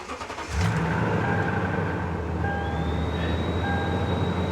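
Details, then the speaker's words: Well-kept Toyota Tundra V8 with 242,000 miles at salvage auction: starts promptly, smooth even run with steady tone and clean pickup, has power, no knocks; normal revving. "it's got power so let's see what she'll do someone took good care of this"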